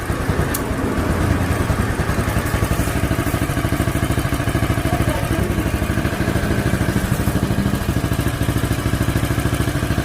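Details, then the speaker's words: 2017 Royal Enfield Bullet Classic BS4 single, misfiring after a battery change; uneven idle thumping with a light chick-chick tick near the carburetor and skipped beats; misfire, suspected loose carburetor clamp. "ഈ carburettor ആയിരിക്കും ഒരു sound ചിക്ക് ചിക്രു sound. ചിക്ക് ചിക്നൊരു sound. അത് എന്താണെന്ന് അറിയില്ല."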